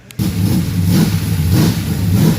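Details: 1974 Chevy Caprice V8 engine build, first fire-up at the machine shop, using an aftermarket high-powered starter because the old one wouldn't crank it. A deep, even note rises and falls cleanly on throttle blips with no knocks or misfires: healthy.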